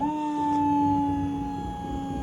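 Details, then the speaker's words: Old GMC Sierra 1500 pickup, hydraulics tilting back down: steady strained electric whine at one pitch, no rise; owner unsure whether pump is weak or hydraulics just very cold. "sounds like it's weak, or it's just because the hydraulics are so cold."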